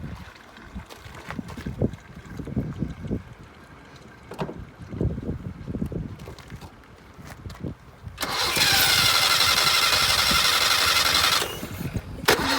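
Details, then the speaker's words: 1978 Datsun 1500 Ute GN620, parked 20 years, fed from a temporary fuel tank: slow uneven cranking, then it catches and roars for about three seconds before faltering. It is struggling for fuel. "wants to run. Got a temporary tank plumbed in there."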